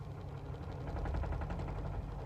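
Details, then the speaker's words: 1998 Jeep Wrangler TJ on a slight incline: low rapid shuddering pulses under engine drone as clutch is let out slowly at crawl speed, sometimes worse than others; clutch judder/bucking on takeoff. "Okay. Did you hear that shuddering? Sometimes it's worse than others."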